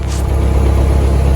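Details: Cessna engine on ground run-up with auxiliary electric fuel pump off, after replacing the engine-driven fuel pump whose diaphragm had a hole; fuel pressure now present: deep, even drone with no stumbling or surging; normal run.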